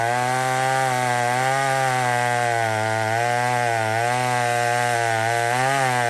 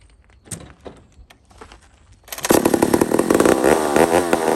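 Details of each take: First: Old McCulloch 1-71 chainsaw with 3/8 chain cutting wood after a major carb upgrade: intake double-gasketed. High strong two-stroke scream holds pitch while cutting, dipping only slightly under load. Normal running under load. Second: Old McCulloch 1-71 chainsaw after a carburetor upgrade: fires into a high, buzzing rev that hunts up and down, running lean; owner sees a huge vacuum leak at the intake gasket.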